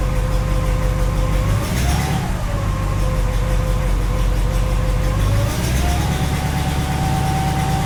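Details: 1967 Cadillac DeVille 429 V8 at cold start: steady idle with a faint whistling tone that wavers and climbs with revs over the low rumble; new strange noise that seems to go away once warm, cause unknown.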